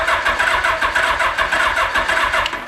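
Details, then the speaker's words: Long-neglected Suzuki GS850G motorcycle, first start attempt after fitting the carbs and coils, with wiring unverified and points not cleaned: a quick pulsing beat of uneven strength, a loping gallop; suspected dead cylinder, spark not yet checked. "kind of sounds like a dead cylinder it's got a little bit of a Gallop"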